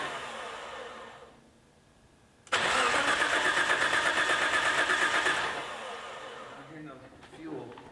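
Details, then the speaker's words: Nissan S14 on a new AEM Infinity ECU with Auto Dream CAS, timing synced at 20 degrees: starter turns the engine at an even quick pace for about three seconds, never fires; fuel pumps go quiet and ECU signal is lost (owner suspects connectivity dropouts). "don't hear fuel pumps anymore we lost signal again what is going on"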